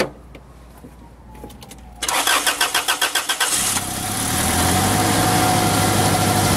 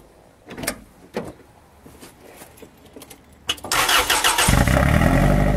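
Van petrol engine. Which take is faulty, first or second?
second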